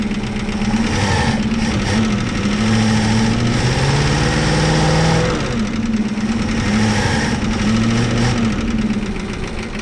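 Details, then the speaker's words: 1965 Plymouth Fury II wagon, first drive in 45+ years: a steady idle with a light, fast tick following engine speed; owner thinks lifter or maybe transmission, rocker arms check tight, source unconfirmed. "It sounds like a lifter, but maybe it's the transmission. I don't know. Should also mention I made a battery tray for it and put in a radiator from an old Toyota Land Cruiser, which fit in there really nicely. But yeah, you hear that tick?"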